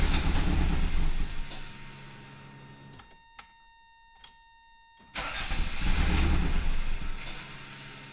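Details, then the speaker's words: 1986 Toyota MR2 AW11 that stalls right after cranking; plugs, wires and vacuum lines already checked, air-fuel reading off per the service manual. Starter churns steadily and cranks again but never runs; fuel smell and combustion present. Cause not yet found. "So, it's not starting. Still haven't figured out what it is, but I could definitely smell some fuel burning up."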